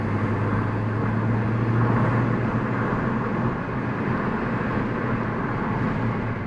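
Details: 2015 Ford Focus ST 6-speed manual after repairing missing 2nd gear, clutch bled, no fault codes; in third gear a steady, even engine and road drone with no whine, grinding or clunks; gearbox sounds healthy.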